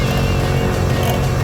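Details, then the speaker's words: 2006 BMW E53 X5 just after installing the air suspension, compressor filling the empty reservoir and bags: a steady, even low electric hum with no hiss. No air leaks heard so far. "all right I here to pump working"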